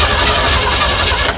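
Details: 1965 Chevy van sat 50 years, fed a squirt of premium unleaded: brief cranking with a few uneven catches that never settle into a run; cranks but struggles to start, cause unclear.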